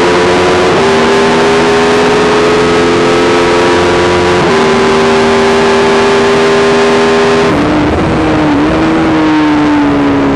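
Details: YZ450 single-cylinder engine in a supermono race bike, revving hard: steady high note with brief stumbles and pitch dips where it cuts out; constant misfire under load, worse after a couple of laps, cause unknown despite changing carb settings, fuel tank, filter, breathers, ignition, coil, generator.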